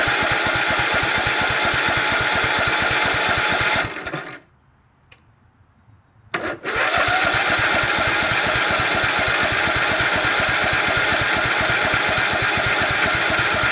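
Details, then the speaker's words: 2006 Cub Cadet LT1045 riding mower with high idle, fuse repeatedly blowing; runs fast and hard without dropping to low idle, stalls briefly, then races again. Governor out of adjustment suspected, not confirmed. "They just stopped uh using it because the idle went high and they couldn't figure it out."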